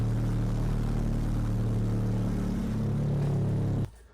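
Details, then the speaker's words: Ecotec engine checked for low oil pressure: about 62 psi at startup, then run up to 190–200 degrees until the fan kicks on, pressure dropping to about 40, called normal. A steady, deep, even rumble with no knocking or ticking, then a clean shutoff; running healthy. "So, anyways, uh we just ran it up to temperature. I ran it all the way up to 190. Let the fan kick on. Um, no problem."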